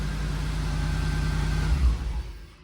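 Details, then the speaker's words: 1983 T/A V8 with the Crossfire injection swapped for a single TBI, the same 8746 ECM and a 3-inch full exhaust: starts and runs with a deep, even rumble and no misses, apart from a slight belt squeal. "I'll start it up here. And I mean, it's just, it runs, it's beautiful. Got a little belt squeal, but yeah, I mean, it runs absolutely beautiful."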